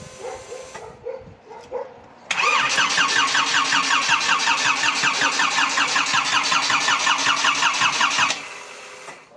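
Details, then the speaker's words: Škoda 1.4 MPI turbo, first start after engine install and a starter fix, with swapped hoses corrected: even starter cranking about six seconds, never firing on petrol; it runs only on sprayed cleaner. No start. "No a benzín bez pokiaľ nestrekam čistišč, tak to nejde."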